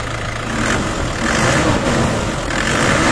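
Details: Isuzu D-Max diesel with low power, no-start and diesel leak complaint: steady even clatter at idle with slight swells in level, no misses or knocks; seems to idle normally.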